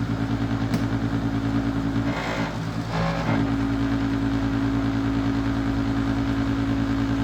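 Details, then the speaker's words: Secondhand Master diesel radiant heater: steady blower hum with no igniter clicking and no burner roar; fails to light, diesel smell suggests the pump may be working, owner plans to tear into it. "okay this ain't working it have to have some work done I've been fing with this thing a little bit and uh you can smell diesel um coming out so the pump may be working"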